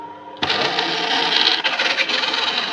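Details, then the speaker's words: DeLonghi ESAM04.110.S bean-to-cup coffee machine during a rinse cycle: a harsh, scraping mechanical whir starts abruptly and stays rough as the brew unit travels down; the drive sounds wrong and the cause is not yet known. "le bruit ça me plaît pas ça ça me plaî vraiment pas"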